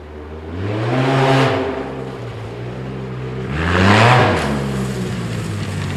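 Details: 2010 Arctic Cat Z1 Turbo snowmobile just after replacing the heavy, overheating OEM muffler with an upgraded exhaust: two clean throttle blips over a steady idle, crisp and even with no misses. Engine and exhaust sound healthy.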